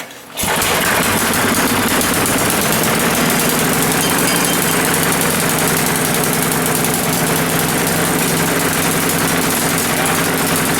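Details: Old Coleman generator after repair, started without choke once fuel turned on: catches within half a second and settles into fast, even, steady run with no misses; normal running.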